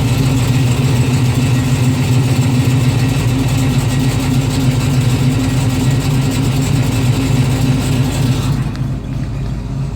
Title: Strange noise #1